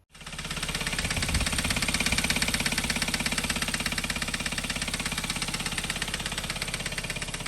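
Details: 2012 Hyundai Veloster, manual, G4FJ 1.6 turbo engine, idling with a steady, regular knock of about three beats a second. The mechanic calls it a common problem on pre-2015 Velosters.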